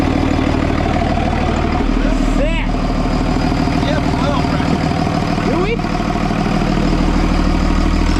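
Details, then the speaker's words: 2002 Cummins-powered Snap-on truck diesel, first start after sitting about 10 years, following starting fluid: steady, even diesel clatter at idle with a constant low rumble and no misses or knocks; normal idle. "Oh, that's awesome. It runs."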